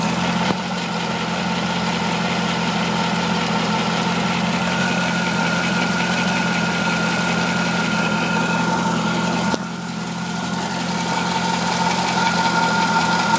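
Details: Corvette C5 V8 at idle with a light, quick tick and thin steady whine, heard from underneath the engine toward the front near the harmonic balancer; ticking of unknown origin.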